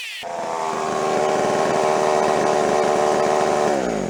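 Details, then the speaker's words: Jonsered 510 two-stroke chainsaw after revival, cold start: catches on one pull, revs to a clean steady high buzz with no misses, eases down smoothly; normal running. "well guys get to that point of the video I'm gonna wrap it up I guess we can consider that a success"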